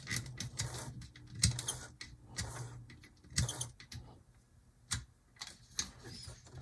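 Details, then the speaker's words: HO Athearn Blue Box B&O EMD F7A / ALCO PB-1 model locomotive, after resoldering contacts: motor hums with gear chatter, squeaks and irregular clicks; drive likely dry, to be lubricated with light oil. "can you hear that squeaking it's it's not the way I want it to sound so let's go ahead and take some light super smooth and get it start penetrating all these"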